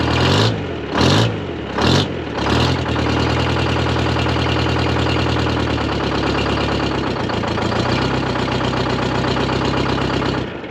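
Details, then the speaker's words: Dynahoe 200-4 backhoe with a Detroit Diesel 4-71 two-stroke, first start after long storage with a partial, brazed exhaust: four labored cranking pulses, then it fires and settles into an even drone with no knocks or misses. "spinning i don't hear any bad noises"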